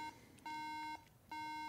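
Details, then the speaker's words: 2012 MacBook Pro at power-on with new RAM installed: steady half-second beeps with short gaps, no boot; RAM error beeps, new RAM likely not compatible. "oh that's a great sign yeah that Ram is probably not compatible with this system so"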